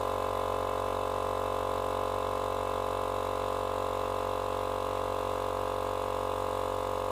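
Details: Small portable tyre compressor, which had stopped and run very hot from a seized bearing, now running after bearing replacement on its first cycles: steady, even mid-pitched motor hum, no grinding or rattle; normal running.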